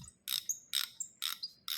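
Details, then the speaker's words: Brass fitting being unscrewed from a carburetor float bowl (MA 4-5) gives four sharp, high squeaks about two a second: threads are dry, probably crusty. "You hear that squeaking? Threads are dry, probably crusty."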